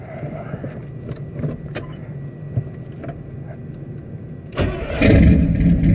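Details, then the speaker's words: Carburetor high idle being adjusted on the "Dirtball" engine by backing out the idle screw; distributor advance checked and works, choke suspected: quiet, then engine catches and settles into a fast, loud, steady high idle. "here is a screw by backing this screw out do you adjust the high idle"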